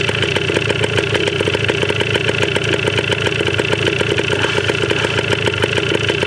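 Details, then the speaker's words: 1980 Yamaha DT/GT 125 Enduro two-stroke on its first start, with old fuel and an uncharged battery, warming up. Crisp, rapid popping with a tinny rattle stays steady and even at idle. It runs cleanly enough, though the carb probably still needs cleaning. "I'm just stoked she runs. Warm up a little bit."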